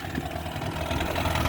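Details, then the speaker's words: 1985 Mercury 35 hp two-stroke outboard at idle after carburetor rebuild and adjustments; low, uneven burbling with soft burps every few beats, which is how it is supposed to idle; normal. "this is how it's supposed to idle and sound it's supposed to burp like that"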